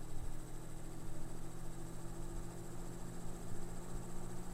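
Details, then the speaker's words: 1990s Super Jet Stream turbo fan on low, unused for about four months, before oiling or restoration. There is a steady low hum that climbs only slowly in pitch as it struggles to speed. The dry, stiff motor bearings need oiling. "so the motor is going to take its sweet old time getting up to speed the berries are a little stiff so that that's the reason for that you can hear it slowly picking up speed"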